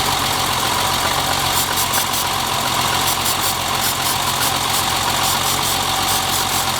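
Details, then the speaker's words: BMW E30 at idle, during a brake-cleaner intake-leak test with no change in idle: an uneven beat with irregular stumbles about three per second; the misfire was traced to a clogged fuel rail. "it is misfiring but you know what we're pretty much looking for is to see if it actually stumbles and and not and just kind of almost wants to die"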